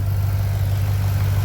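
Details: 2009 Ford Mustang GT 4.6 V8 after new cams, during cam break-in, engine bay: smooth even idle with loud injector ticking, no more lifter tap; engine healthy.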